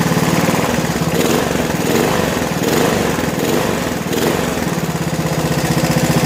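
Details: 1987 John Deere SX75 lawn tractor, single-cylinder, first run after fuel system work on battery charger: steady, even beat at constant speed with no misses or knocks; normal running.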